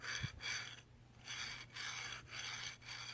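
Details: Wanhao Duplicator i3 V2 Y-axis upgrade, new LM8LUU linear bearing slid along its rod by hand: soft, even swishing strokes about every half second, no clunks, clicks or gritty catches; bearing smooth and good.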